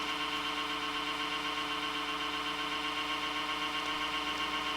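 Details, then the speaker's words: Dusty HP Media Center computer with failing USB ports; power supply fan keeps getting louder, constant high hum with steady whining tones and faint rapid pulsing. Loud worn fan. "Like, it just gets louder and louder, you know? Oh god, if I had my golf club, I'd just like to smash that fan in."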